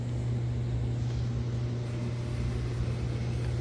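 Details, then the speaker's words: Central AC outdoor unit (compressor and condenser fan) after replacing the capacitor and fuses following a power surge that stopped it. Steady low hum from compressor and fan, no buzzing, clicking or rattles; house cooling again, normal running. "What I did is basically I had an old version of this, and so I just decided to replace it and do a few things and turn around a few things off, and as you can hear, it's working."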